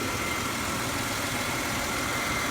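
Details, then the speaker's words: 2006 Chevy Impala, running after sitting two years, after an engine detail: steady, smooth, constant idle hum with no knocks, misses or ticks; engine judged fine, one code stored, possibly an EVAP solenoid. "Um, the engine's fine. I am going to go and run another test."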